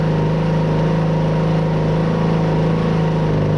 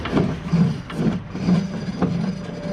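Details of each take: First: Craftsman T110 riding mower after a new deck spindle (old one noisy), plug, air filter, oil and blades, warming up with blades engaged: steady, even engine drone with no knocking, grinding or hunting; normal running. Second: Craftsman T110 mower deck, spun by hand with belt tension released: a low, rough roar swelling with each spin, about twice a second; one spindle bearing is worn out, while the other spindle and pulleys seem fine.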